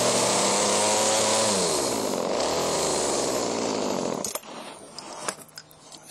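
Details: Chainsaw: buzzes at high speed, sags briefly, recovers, then shuts off. Uneven running.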